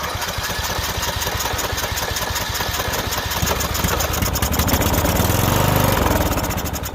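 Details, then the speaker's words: Small engine, fuel poured into the carburetor: rapid cranking chuffs turn into firing, then the small single revs up and runs. The no-start was confirmed as a coil kill of some sort grounding the spark. "yep that was what was going on we had a coil kill of some sort that was instigating things"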